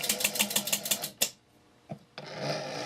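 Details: Philco 39-116 radio remote-controlled stepping relay, after repairing its chattering: a run of eight sharp, even clicks, then a clean stop before the set's hiss returns; the relay steps fully without chatter, lights changing as it rotates the tuning switch.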